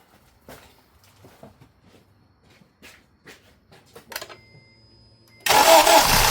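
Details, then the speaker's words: Acura TSX, formerly crank-no-start from an overextended, non-locking timing chain tensioner, after timing chain installation: a few light taps, then it fires straight away into an even idle; a vacuum leak remains; normal start and idle. "Well, start right on up, no problem."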